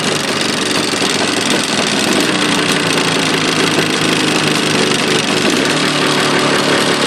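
Loud, buzzy two-stroke idle with a rattling, tapping edge over the exhaust; a knock is present, but its source is unclear.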